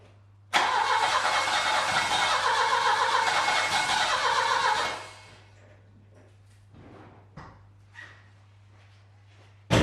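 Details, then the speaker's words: Saab 900 Classic, first start after years of sitting, following a Zenith/Stromberg CD175 carburetor rebuild, fuel tank cleaning and float bowl pre-fill: the engine catches, runs a few seconds with an uneven lumpy beat, then dies. It is smoky, and the owner suspects the timing. "well that was a bit of a smoky adventure i think something in the timing might be wrong"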